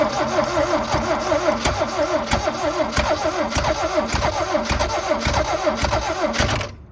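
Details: 1972 Toyota Celica, factory 18RC engine, sat in a junkyard over 20 years, new starter fitted and carb cleaner sprayed in: strong, even cranking with a quick steady beat and crisp compression pulses, spinning freely with no drag; normal cranking.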